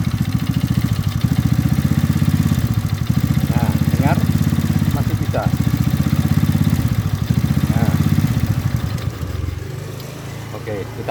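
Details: Motorised bicycle, started after pulling and reinserting the key: small single-cylinder engine putters with a steady low beat, a few brief squeaks on top, then dies down; runs fine.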